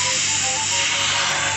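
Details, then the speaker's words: Refrigerator cooling system R134a refrigerant purge without vacuum pump or methyl: compressor still plugged in and running, refrigerant valve opened to push out remaining air; strong steady high hiss of gas rushing out evenly, normal purge. "ini langsung kita buka keran freonnya untuk memasukkan freon yang berfungsi untuk mendorong sisa udaranya"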